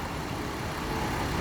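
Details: 2016 Hyundai Azera V6 after misfire diagnosis with Launch scanner: engine idling smoothly, steady low hum, no stumbles; previously shaking.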